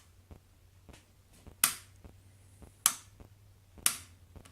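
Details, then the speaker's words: Surge protector power outlet: crisp, sharp clicks about a second apart as the individual rocker switches snap cleanly on and off; normal switch operation, unlike the failing master switch. "you know how well that switch works and you can actually hear the stretch turning on and off"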